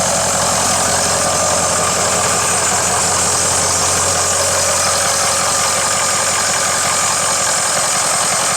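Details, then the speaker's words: Ford 6.0 diesel at idle after turbo cleaning: steady, even clatter with a constant hiss, serpentine belt a little noisy; otherwise sounds healthy. "all right other than a uh say the serpentine belt's a little noisy but other than that sounds good"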